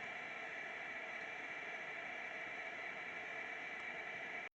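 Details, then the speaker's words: Phoenix arcade PCB, audio section: steady hiss with no rhythm or pitch change and no low end. It is continuous background noise in attract mode, enabled by a DIP switch setting on the main board, and flipping that switch stopped it. "as we can hear flipping one deep switch enables this continuous noise in a tract mode"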